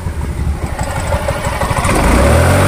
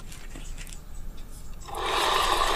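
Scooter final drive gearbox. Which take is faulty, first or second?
first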